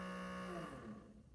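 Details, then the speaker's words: Sony CDP-CX450 400-disc CD mega changer from the early 2000s, powered on: motor hums with a steady tone that wavers and dies away and the carousel does not move; carousel drive belts suspected broken or deteriorated. "like that and nothing happens but you can't open the door but as you can see the carousel doesn't move so again that's usually uh the case with these things because they were built in early 2000s uh the belt usually either goes out meaning that it breaks or it just deteriorates"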